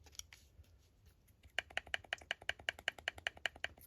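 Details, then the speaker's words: Shimano Curado DC baitcaster, cast control knob backed off too far: light sharp clicks about seven a second as the spool rattles along its axis; fix is tightening until knocking just stops. "So it's loosened up way too much right now. I want to tighten it up. Still knocking."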